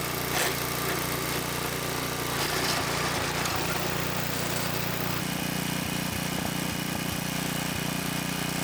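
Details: Small single-cylinder tiller engine that sat about 20 years, started after tire and slime work, holds a steady, fast, even beat with no misses or knocks; running normally.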